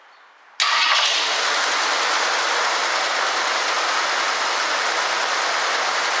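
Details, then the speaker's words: 1965 Ford Galaxie 500 after fixing a transmission vacuum leak, with the choke set and fuel now staying in the carburetor bowl; a fuel restriction from the tank is suspected. It cranks, catches at once and holds a steady even idle: normal idle. "If I set the choke, it seems like it's running way better. That vacuum leak on the transmission, I'm sure, was causing problems. Idle sounds good."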